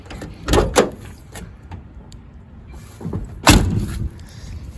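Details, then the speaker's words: 1966 Dodge Dart GT door swinging open with a couple of dull clunks and a sharp knock partway through. "But you hear that and the clunking sound of the door opening. This one has a similar sound. Not as bad."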